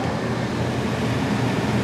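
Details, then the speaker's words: Repaired fan motor, which previously had a bad bearing, in the original rooftop A/C unit of a 2014 Itasca Impulse RV: smooth, even airflow with a soft hum and no bearing squeal. Runs quietly and normally after the repair. "it's quiet. Oh, that's fantastic."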